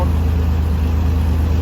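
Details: 3.0L Ford Ranger after cylinder head replacement for a bad exhaust valve seat, water instead of coolant for now: steady, even low hum with no misses, knocks or ticks; idles smoothly like a sewing machine, very slight shake, clutch fan stuck on.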